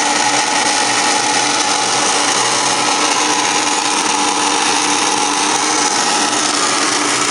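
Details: Furnace on start-up, March 22, 2017: constant harsh whirring grind with no rhythm, hinting at a motor or fan problem; cause not known.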